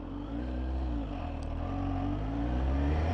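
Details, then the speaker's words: 2021 Kawasaki ZH2 with a supercharged 998 cc inline-four, ridden under hard acceleration: engine note climbs steadily with a faint short supercharger chirp on top, normal; rider repeats an unconfirmed rumor that the chirp is the impeller breaking the sound barrier. "you're pushing on a bit the supercharger does chirp a little bit and there was a rumor or a uh word going around that that chirp is when the actual impeller on the supercharger breaks the sound barrier not sure how true that is"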